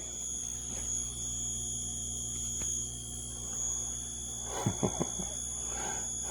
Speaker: Well, I don't know what's wrong with this thing, this filter, but instead of instead of eliminating the noise, it's creating new one.